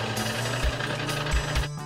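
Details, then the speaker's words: Snowie 3000 ice shaver switched on after a blade change for the alignment test: steady low motor hum with no grinding, showing the blade and housing are properly aligned and not touching the paddle wheel. "use extreme care for this next step to hear the blade alignment plug in the shaver and using the switch turn on the shaver the snowy 3000 has a unique hum when it is properly"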